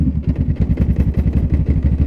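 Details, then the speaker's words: Honda Rebel 500 in break-in period, ridden in fourth gear at 20 km/h: deep heavy slow chugging thumps, about nine a second, with no rev climb; engine lugging in too high a gear. "Now, that is a noise you don't want to be hearing in the long run. It's not good for the bike in the break-in period. It's horrendous for the bike"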